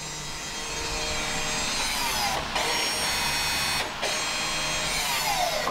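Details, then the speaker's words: 2016 Audi S3 after PowerStop drilled/slotted rotor and carbon-fiber ceramic pad install: rear electronic parking brake motor applying, steady high electric whir lasting several seconds with brief pauses as caliper motor drives in; normal. "so we're going to close the brakes in this case it's just the uh you know the electronic parking brakes so we'll press two you'll hear that motor on it"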